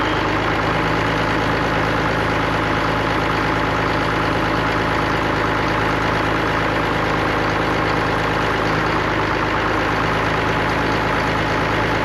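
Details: Allis-Chalmers diesel tractor just started after cracking injectors, running the electric fill pump, heat and ether: steady, even diesel clatter at a settled idle with no misses or knocks; sounds healthy.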